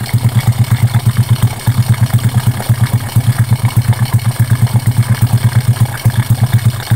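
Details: Honda Karisma single after repair for white exhaust smoke and rough piston noise (piston replacement, valve setting): even, low-pitched thump at a steady idle with no knocking or ticking; runs healthy.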